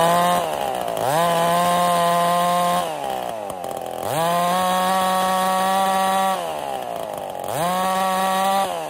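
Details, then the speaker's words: Ported Husqvarna 55 chainsaw on fresh spark plug: revs up three times to a steady high scream and falls back, topping out low; cylinder plating flaking and scoring, losing 200–300 rpm each run, needs new top end. "it's getting a lot of scoring in it because of the plating that's coming off and every time I fire it up it just gets worse significantly um two to 300 RPM loss every time I fire it up"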